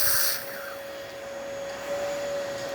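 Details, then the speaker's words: Gaggia espresso machine after tune-up and water pump replacement, boiler up to temperature and sealed: strong steady steam wand hiss with constant high tone, no sputtering; normal steam output. "And now we can test the steamer itself, and as you can hear and see, excellent steam coming out from the steamer one, working perfectly fine."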